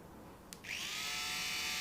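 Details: Slot car motor on the bench during repair, power fed straight to the motor, lights working: a click, then a thin high whine spins up quickly and holds steady, running cleanly and freely; normal motor run.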